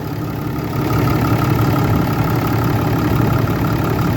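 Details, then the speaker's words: 2012 Ram 3500 6.7 Cummins diesel after replacing the water pump (sloppy pulley) and broken serpentine belt; steady, even idle with a smooth low rumble and faint belt hum, no knocks or squeals; normal idle. "all right we got everything running"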